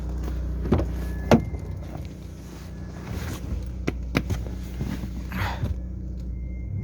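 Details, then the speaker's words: Lada Largus 1.6 16-valve 129 engine, after hydraulic lifters were replaced, about 3 minutes after a cold start: a low steady hum with only a few faint isolated taps left, loud from a torn exhaust flex pipe; the knock fades as it warms. "А так, если бы тихо двигатель работал, еще бы слышно громче было бы. А когда прогреется, идеально работает тишина. Погазуем, может, быстрее пройдет."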